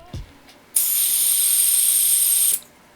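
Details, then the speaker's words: Micro-flame butane torch being refilled, canister nozzle inserted straight into the base hole: steady, even high hiss for about two seconds that cuts off cleanly; gas flowing in normally, sputtering would mean full. "you should hear a pressure release sound and a subtle hissing as your torch fills"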